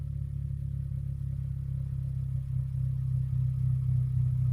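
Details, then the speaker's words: 2013 Hyundai Elantra GT, chambered muffler fitted in place of straight pipe: deep steady exhaust drone swelling slightly with revs, still quite loud; muffler only takes away some sharpness. ">> Well, Well, I think it's muffled slightly, but yeah, it's it's still kind of loud. I'm not going to But it's loud, but it's whatever now. I put a muffler on it."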